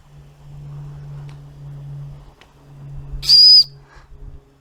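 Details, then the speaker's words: Inherited antique model steam engine at its first firing in years, fuel type uncertain: soft low hum from the fire, then a brief clear high whistle from a whistle left open to show steam pressure rising. "what I've done is I've left a whistle open on the side there just as an indication when we're starting to get a bit of steam pressure up"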